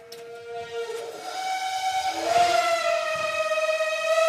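A loud, piercing whistle rises slightly in pitch and swells in volume, holding steady; the old heating unit is whistling badly.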